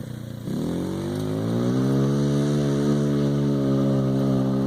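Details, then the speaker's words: 50cc scooter bought for $20, full-throttle run after fitting upgraded variator rollers for a lower effective gear ratio; revs climb quickly then hold a high, steady buzzing scream, pulling cleanly, a normal full-throttle run. "Gonna come back around and go up to the full throttle and see what it sounds like different. Time for the 7-toe Joe Grand Prix with upgraded variator rollers, and hear that thing scream."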